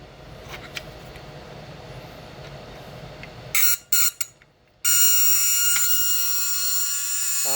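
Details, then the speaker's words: 1979 Lotus Esprit, door-ajar warning buzzer bench-tested on newly built wiring and relay panel before fitting to car: harsh, raspy high-pitched buzz in short bursts then steady drone; pressing door switch silences it; buzzer and door switch work as intended. "What a wonderful noise, huh? Door switch. So push it in, it goes off. Okay, that was very annoying."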